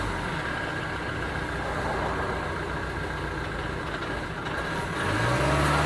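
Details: 2009 Ford Transit Sport diesel: the idle has an uneven, lumpy beat that stumbles rather than running smooth, then rises as it revs. A misfire, cause unknown.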